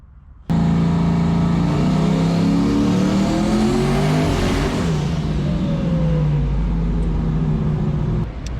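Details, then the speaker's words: Turbocharged Foxbody Mustang on E85, dome pressure raised but manifold pressure not rising: loud pull climbing in pitch, then note goes ragged near the top and drops off; suspected misfire under boost, plug wires checked, cause unconfirmed. "sounded like it started misfiring if that's the case we're going to be done"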